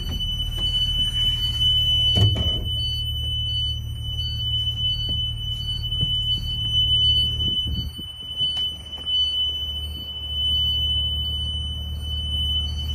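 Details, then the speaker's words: Connecticut school bus pre-trip, engine idling, rear emergency exit opened; a steady high-pitched buzzer with quick repeating beeps sounds. The emergency exit door alarm is working properly. "I'm gonna open my emergency exit and I'm gonna look for my ambers and my hazards to make sure they're properly working and I can hear my alarm."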